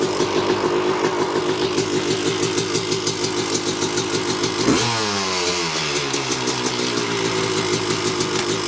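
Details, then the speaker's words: 1986 Yamaha YZ250 two-stroke, not run since 2015, first start after fitting a carb and throttle from another bike and cleaning the reeds: crisp popping at fast idle with a quick blip, firing evenly and running well. "Well, that sounds good. Let me see if it goes in gear."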